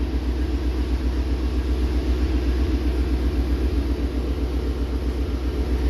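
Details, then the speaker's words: 2019 Shelby GT350 with 3,800 miles, at operating temperature on its first start after a Whipple 3.0 supercharger and ARH long-tube catless headers install, idling in the garage with no boost. It gives a very loud, deep, steady V8 burble with no knocks or misses, so the idle is normal. "wow that is so loud everything's looking good in here"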